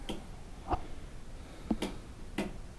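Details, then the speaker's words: Plow tractor with original engine and no hour meter: with weight on the seat, a few isolated sharp clicks, about four in three seconds, and no cranking; sounds like a dead battery, but batteries have plenty of charge, so the starter itself is dead. "the bigger issue is the starter so put some weight on the seat and let you hear it you can hear this thing isn't happy and it sounds like a dead battery"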